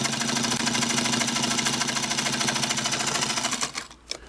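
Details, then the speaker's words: Restored Singer 221 Featherweight sewing machine testing a $15–16 non-original bobbin case, thread tension lightened to three: fast steady stitching clatter with a slightly loose, shaky rattle; bobbin case a little noisy but sews well. "so you can kind of hear the noise on this bobbin right i mean to me it's a little shaky"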